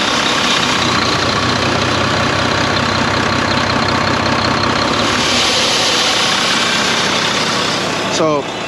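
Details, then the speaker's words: Volvo VNL truck with D13 diesel, first start after four months parked following a deer strike: steady idle under a loud airy wind-like hiss swelling as the engine surges; air leak traced to a seal missing after previous repair work. "you're gonna hear the the every wind sound whenever the engine surge"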